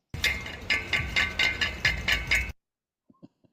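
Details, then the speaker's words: 2008 Subaru Impreza main catalytic converter: bright metallic clinking bursts about twice a second, like loose stones in a can, then it stops; the catalyst substrate has broken apart inside the shell, and the whole unit was replaced. "So what we're listening to there is what's left of the catalyst, which normally fits very tightly inside that round cylinder. It's basically broken apart."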